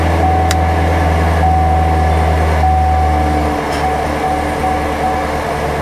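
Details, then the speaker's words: C7 Corvette V8 after serpentine belt tensioner assembly replacement to cure a squeal. Deep steady rumble with no squeal or chirp; normal accessory belt drive. "oh yeah I can't hear the Silling anymore I don't hear that Silling sound so I do believe that that took care of my problem"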